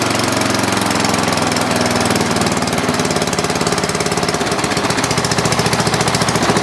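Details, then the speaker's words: Dynamark riding lawn mower after the carburetor was cleaned of green gunk: the small engine fires up and runs a steady, even putt-putt at constant speed with no misses or knocks; normal running. "well perfect I was worried there for a second but looks like it runs fires up"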